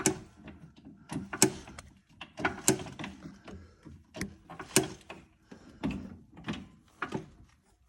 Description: I had this mystery sound that I originally heard only after driving, but then became more persistent. I took off the wheel and using a jack to raise/lower the axle slightly I could reproduce it.